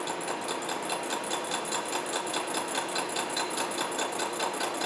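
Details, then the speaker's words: Horizontal milling machine side-milling bronze bearing castings square, climb cutting downward with table locked; steady cutting chatter with a regular thump about 2.5 times a second, one cutter tooth cutting more than the others; resulting finish looked fine. "sounds like we got one tooth that's cutting more than the others we'll take a look at that after this first pass"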